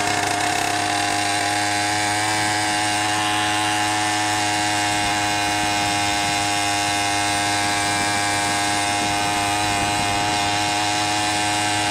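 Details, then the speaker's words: 100cc motorized bicycle two-stroke, rebuilt 49mm iron-sleeve engine, 92 jet, needle on fattest setting, full throttle riding: buzzy, uneven doubled-up burble, four-stroking hard from an over-rich mixture; runs better just off full throttle, needs leaner jet. "Full throttle right there, and you can hear we're 4-stroking hard, way too fat."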